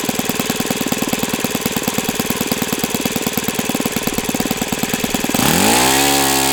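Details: O.S. FS-91S II four-stroke glow engine on test stand, first run: crisp, even firing at fast idle, then a clean, smooth rise in pitch as the throttle opens. Owner says it feels freer at operating temperature; normal running.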